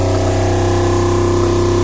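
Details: Diesel genset from a Tiara boat idling on the bench after fuel and antifreeze were bled: a steady, even drone with no knocks or misses as cooling water starts to flow and the engine gets hot. Normal idle.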